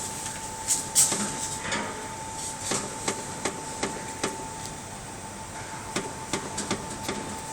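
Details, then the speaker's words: Ford Focus 3, 4 months old, 10,000 km: sharp uneven metallic knocks as the steering shaft is rocked by hand, play in the steering rack felt in wheel and pedal area; knock occurs driving on gravel. "Фокус 3 4 месяца автомобилю 10.000 пробег неисправный стук в рулевом механизме во время движения по гравию"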